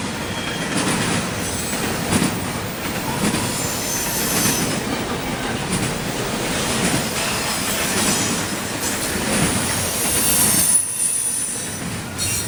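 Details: CSX intermodal freight train passing in Georgia: steady rumble and wheel clatter with a thin, high screech as it rolls by; wheel squeal.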